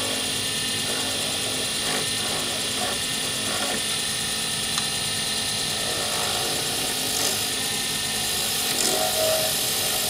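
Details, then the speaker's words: Lathe turning a D-shaped circuit board blank for a Sierra pen, ends pre-turned to bushing size: steady, even hiss of the tool shaving the spinning blank, no chatter or catches; a clean cut with very little noise and shavings in ribbons. "when you're turning is going well you will find that there is very little noise and that everything is coming off in ribbons"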